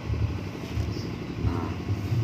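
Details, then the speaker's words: Honda Supra 125 starter motor fed directly by jumping a thick cable across the socket: steady low churning with even pulses as the starter spins briskly. Battery and starter motor are good, so the fault likely lies in the fuse, button or ground circuit. "nah kalau terdengar bunyi seperti bunyi Star hal ini menandakan bahwa aki masih kuat untuk memutar starter"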